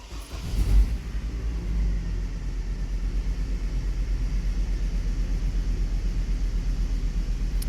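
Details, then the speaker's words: Hummer H3 running with one ignition coil unplugged: engine rattles with more vibration, deep uneven loping idle, and a weird drop when accelerated; cylinder misfire from a failed or disconnected ignition coil. "you can hear the engine actually rattling i guess one of my tools just dropped down so there is a bit more vibration on the engine and the engine got that weird drop down when you give it a bit of acceleration"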